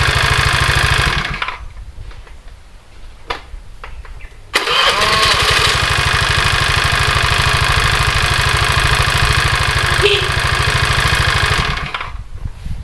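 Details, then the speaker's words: Honda Vario 110 carburetor scooter with electrics dead, kick-started: after a few kicks it catches and idles with a coarse rattly drone from the CVT; rough CVT noise, cause not yet found. "Setelah diengkol dan dihidupkan, suara berisik ada."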